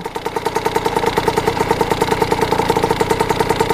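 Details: Kawasaki KX80 two-stroke with KX100 99cc big-bore cylinder, warmed up after new head gasket and fixed-up head cured coolant leak; quick, even popping at steady idle, no misses or stumbles, healthy; owner says it runs really crispy.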